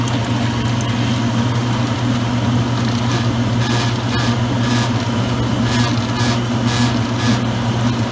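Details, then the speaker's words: Circa-2003 Maytag Oversized Capacity Plus washer, rinse cycle on low agitation: steady low electrical buzz under slow churning, the control panel buzzing from motor vibration. "sorry about the buzz but because the control panel does feel coming from the motor"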